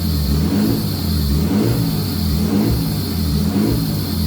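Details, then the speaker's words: Nissan 240SX with swapped RB20 and replacement turbo, first run with mock-up intercooler piping: fairly smooth idle with slow rise and fall over a steady airy suck from the unconnected idle control valve; vacuum leak. "so the idle control valve isn't hooked up yet, so that's what you're hearing sucking."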